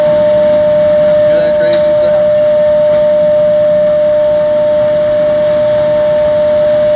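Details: Xeikon 5000/6000 drum refinishing machine, recently repaired with new belts and gears: loud, piercing steady ring at one pitch as the aluminum drum rings like a bell under the sanding pass, normal.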